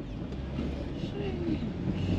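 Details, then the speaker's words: Ford Explorer with squat leveling kit on test drive: low rumble at walking pace with faint wavering scrape-like tone, sounds bad; brake caliper rubbing on the rotor. "but uh yeah you can hear that it sounds like trash oh it sounds bad"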